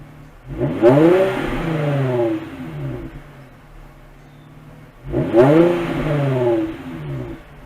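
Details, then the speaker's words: 2005 Infiniti FX35 V6 after a cold start, stock exhaust with resonator, before the resonator delete: two quick rev blips rise and fall cleanly with a quiet, smooth exhaust note. Healthy engine. "we'll sit here and wait for it to idle down and then we'll do a couple ribs and then we'll test it out and see the difference in sound from with a resonator and without a resonator"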